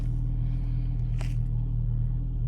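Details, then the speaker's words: 2005 VW Golf Mk5 1.6 FSI after new spark plugs and coil pack for misfire code P0302: deep, steady hum, no stumbles or missed beats; rough idle and misfire gone, normal idle. "that is smooth again let's just give you a couple of seconds but that misfire has definitely gone"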